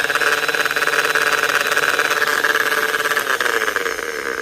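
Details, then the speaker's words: Angle grinder/polisher after new bearings and repacked grease, running: steady high whine with a gritty, rough edge; higher-pitched bearing noise gone, remaining noise suspected from gear lash from teeth possibly dented during disassembly. "So, something I did forget, uh, as I was trying to get the gear out of here before I found the snap ring, I may have dented the teeth. So, I think that's why I've got the uh"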